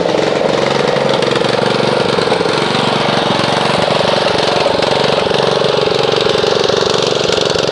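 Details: Snapper RER Comet mower with a small engine that sat about a year, good plug, air filter checked, choke off: loud steady speed with a slightly uneven, choppy beat; rough running, likely from old fuel.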